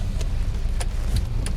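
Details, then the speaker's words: Mercedes R300 after replacing steering bushings for a clunk heard when stationary, tested in P on the road while the wheel is rocked: a steady low idle with only faint light ticks. The clunk is gone; steering normal. "Oh, nah udah gak enak, udah gak ada bunyi nih, udah gak kolok-kolok, udah hilang nih juragan."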